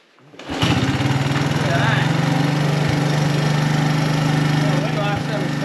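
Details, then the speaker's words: Honda ATC 200 ATV with new carb, just after clutch adjustment: engine catches after a brief crank and settles into a steady, even putter, no knocks or misses; normal running, still not perfect. "all right so we're just getting this bike going for the girlfriend it's still not perfect"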